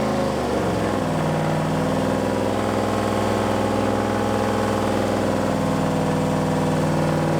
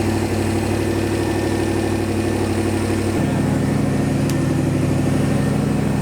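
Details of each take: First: Boosted V8 Malibu, first start after build, at idle: steady lumpy idle with faint irregular ticking and whir from the front; power steering pump noise, owner suspects no fluid despite filling the reservoir. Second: Boosted engine first start after 30 days of work, fuel pressure about 50 psi, earlier ticking suspected to be power steering pump: steady even idle with smooth low rumble settling slightly lower, no knocks; normal idle.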